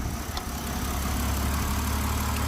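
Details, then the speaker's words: BMW X5 E70 after sitting long, run about two minutes to re-lubricate dry lifters: steady, even idle with smooth low rumble and no top-end ticking; lifter tick gone, normal idle. "and there you go no more ticking so all we had to do is lbe the lifters up took about 2 minutes maybe 2 minutes and a half"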